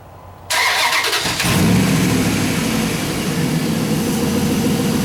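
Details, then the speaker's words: Dodge Hemi after camshaft position sensor replacement for hard starts, stalling and P0340, codes cleared: starter whirr, catches, revs briefly, settles into steady even idle, no misses or knocks, slight muffler noise; no trouble codes return. "but the engine sounds good I'm not getting any more trouble code"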